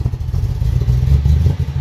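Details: BMW N62/N63 V8 (550i/650i/750i/X5/X6 family) under throttle: deep rumble that stumbles unevenly instead of pulling smoothly, a misfire with no power; bad spark plugs suggested as the usual cause, not confirmed.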